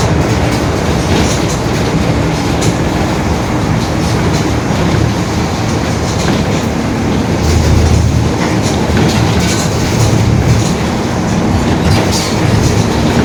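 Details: 2021 Marcopolo Torino S urban bus on Mercedes-Benz OF-1721 BlueTec 5 diesel chassis, extended length, recorded while driving: constant low droning growl under road and engine noise, pointing to a worn rear differential growling.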